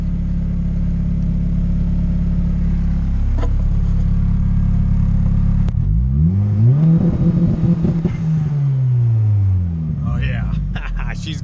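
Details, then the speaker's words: Honda Integra project car on two-step launch control, revs held flat against the limiter with rough choppy exhaust then rise and fall; 30 degrees ignition retard added after a baseline with zero fuel enrichment. "now all I'm gonna do is I'm going to add 30 degrees of ignition [ __ ] into it and we'll see how it sounds"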